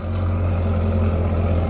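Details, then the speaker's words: C6 Corvette V8 at first start after sitting, fuel line just primed: a deep, even burble at idle with a steady low rumble. There is no lifter noise, rod knock or misses, so the engine idles smoothly and healthily; the light gray smoke is only condensation. "Oh man, that motor is nice and quiet. No lifter noise, no rod knock. I don't want to rev it too much, but it sounds really good."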